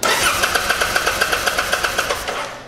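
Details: Kawasaki Vulcan 800 Drifter (VN800E) cranked while measuring pickup coil AC voltage (coil about 480 ohms, tests good): steady rapid starter cranking, about six even pulses a second, never catching; no spark, faulty ignitor.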